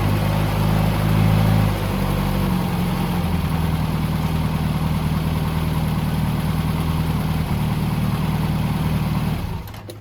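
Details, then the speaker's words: 1971 MG Midget 1.3L four-cylinder just after starter motor replacement (old starter weak, loose positive terminal): starts and runs at steady, even idle with smooth low rumble, no knocks or misses, shuts off cleanly; normal start and idle. "Okay, the starter's installed. Just gonna fire it up so you can hear how it sounds."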